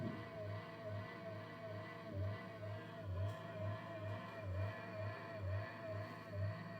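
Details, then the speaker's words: Monster Abra A5 v16.6 gaming laptop cooling fan, noise returned a day after maintenance: wavering hum with a rough low growl pulsing about once a second; worn fan bearing, fan replacement required. "Evet, net bir şekilde duyulduğunu düşünüyorum. Geçmiş tecrübelerime de dayanarak zaten söylemiştim size. Bu cihazda kesinlikle fan değişimi şart. Fan değişmeden bu sorun giderilemiyor arkadaşlar."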